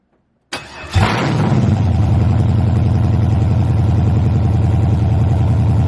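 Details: LS-swapped 1986 El Camino, 5.3 with Camaro heads, cam and LS6 intake, first real fire-up on open headers before any exhaust is fitted; cranks briefly, catches, settles into a deep, choppy, loping idle, even and strong; normal idle.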